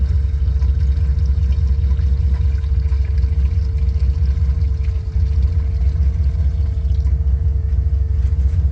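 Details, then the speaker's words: 1986 Nissan Maxima wagon, 3.0 V6, abandoned for decades, just restarted: low heavy uneven idle rumble with faint steady tone; owner suspects a serious fuel leak, nearly out of gas, no oil pressure shown (gauge possibly bad). "a pretty serious leak down here that's probably why it's not running that great"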